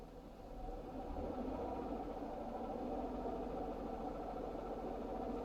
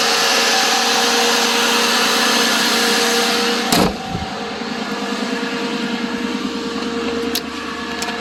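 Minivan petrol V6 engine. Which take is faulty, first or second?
first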